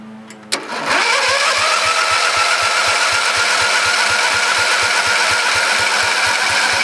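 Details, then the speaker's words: Briggs & Stratton 14.5HP OHV single-cylinder mower engine, unrun several years, after new coil: settles into steady run with regular knock near three per second; noise internal, persists with flywheel cover off, cause unconfirmed. "well guys it's running somebody from pretty Givet is making an awful noise on the water what it is exactly sound like something rubbing somewhere"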